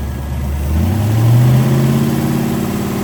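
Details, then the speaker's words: 1941 Willys hot rod V8: revs up briefly then drops to a lazy idle, revs out but feels like a dog, not pulling hard; ignition timing suspected, balancer timing mark reads 60°, rubber GM factory balancer likely rotated. "But it revved out a little more that time, but it feels like it's a dog. It's not It's not pulling as hard as it should. So, let's go check the timing, and start there."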